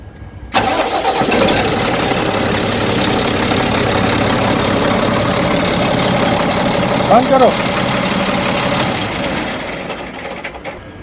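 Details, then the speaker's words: Mahindra Blazo 37 common-rail diesel: quick crank and catch, then steady even idle with equal sound at each injector, no miss; normal diesel start and idle. "जैसा कि अभी हमने देखा start होने के बाद हर injector के पास से इक्वल सेम आवाज आ रही है।"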